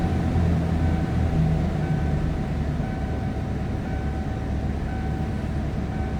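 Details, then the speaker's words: 1995 Ford F-250 XLT Club Cab 2WD, 69,437 miles, idling with a steady low rumble and a faint constant tone above it, even and unbroken; normal healthy idle. "We will fire this up so you can hear it run."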